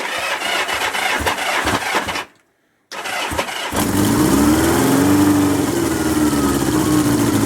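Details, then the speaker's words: 1977 Kawasaki KZ650/Z650 B1 four-cylinder, warm restart after fuel turned off: short crank, pause, then catches late and settles into a slightly lumpy, uneven idle; owner suspects unsynced carbs cause the slow start; exhaust pipe leak also noted. "yeah it should be straight away as i say but without these being synced that's probably why"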